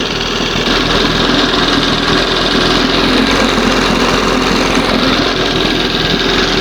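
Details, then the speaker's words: 1971 20 hp Johnson outboard, warming up, idle stop set to the lowest idle before it dies, at the first carb-opening timing mark: steady light buzzing idle with no surging, set right at the edge of stalling. "See, I'm I'm opening that idle stop. get it to the lowest idle before it starts to die, which is right right at that first mark where the carb is just supposed to start to open for the timing."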